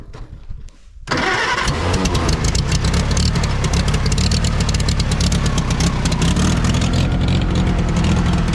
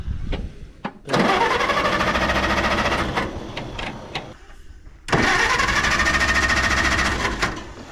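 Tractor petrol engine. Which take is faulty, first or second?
second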